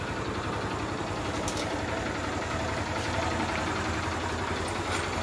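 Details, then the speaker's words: Honda Shine bike just reassembled after a full engine rebuild, first start: steady, even idle thump about four beats a second, no knocks or rattles; engine set perfectly, normal idle. "అయితే engine sound అయితే వినండి main గా బండి అయితే మీకు perfect గా అయితే set అయిపోయింది"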